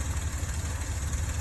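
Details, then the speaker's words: Dodge Ram V8 warmed up on a cold day, steady low idle rumble with faint fast lifter ticking on top, recorded before adding Engine Restore; lifter tick suspected. "she's pretty warmed up this is going to be a pre-test before um using engine restore see if it quiets down these lifters"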